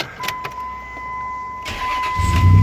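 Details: 2002 Dodge Ram pickup 4.7, previously no-start with no ECM communication, after repairing damaged ECM power and ground wires: steady dash chime, then the engine catches near two seconds and builds to a firm, even low rumble; starts and runs.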